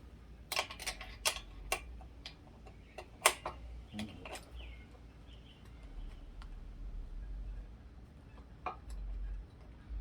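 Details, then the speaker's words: Lectric step-through e-bike pedal removed and rocked by hand: sharp irregular clicks, a worn pedal bearing with lots of play letting the shaft wobble. "hear that that's the the shaft wobbling on the uh on the pedal and this is um it's got all kinds of play in it"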